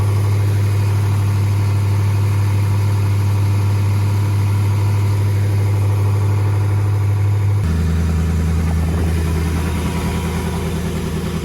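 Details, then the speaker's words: 1994 Mercruiser 350 5.7 Magnum V8 in a Mariah Z241 Davanti boat on test run after new plugs and oil; deep steady drone suddenly drops and turns rough under load; bottom end failed, owner suspects a rod bearing on the crank; valvetrain fine. "it's really the bottom end of the engine that has gone bad i really think one of the bearings went bad on the tire on the rods on the crank"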